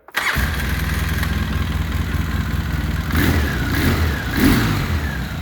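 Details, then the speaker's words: Polaris Sportsman 700 ATV with a rebuilt engine fires on the first try, settles into a steady single-cylinder thump and picks up cleanly on two throttle blips; runs healthy. "you sounds like a 700"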